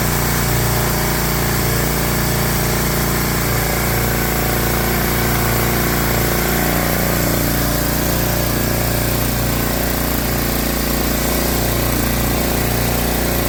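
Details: Briggs & Stratton 7 hp single-cylinder engine on a Swisher 22-ton log splitter, after carburetor cleaning to cure surging: holds a smooth, even idle with no hunting or surging, a clean steady beat.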